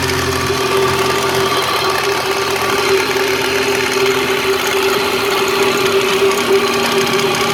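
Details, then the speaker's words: 1997 Lexus SC300 2JZ inline-six at idle with a visibly loose timing belt: faint, fast, light top-end tick over a steady hum; owner suspects lifters, timing or a bad tensioner, unconfirmed. "so I'm gonna start up my 2j and let you guys hear the tick"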